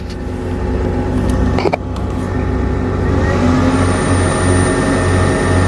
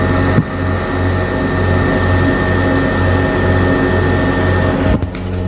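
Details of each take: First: Camper van inverter with Instant Pot drawing about 300 W: steady fast cooling fan whir with constant hum climbing slightly as load comes on; normal inverter fan noise under load, fan speeds up with load. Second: Camper van inverter under about 300 W load from an Instant Pot: steady loud whirring rush with a low pulsing drone from its cooling fan, which speeds up under load; noisy inverter fan.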